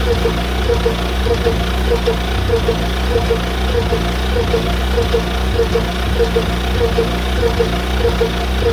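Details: John Deere Model R tractor big diesel engine idling after the pony motor was rebuilt, reinstalled and used to start it, following injector work; slow, even idle with steady low thrum and regular ticking beats; normal idle.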